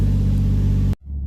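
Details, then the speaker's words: Toyota Mark II JZX110 after battery reset, warm, out of garage: even steady low rumble without stumbles at about 700 rpm; earlier puffed black smoke and coughed with high idle. Normal idle. "yeah idles drops me up I've gotten out of the garage and sitting on about 700 rpm idling or relatively smooth so it's not too bad"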